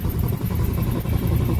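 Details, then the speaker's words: 1969 Ford C700 330ci V8 truck, cold start: deep rhythmic wobbling rumble over idle as engine-driven air compressor builds pressure, normal and stops once air is full. "once the air pressure gets full it'll stop making that noise"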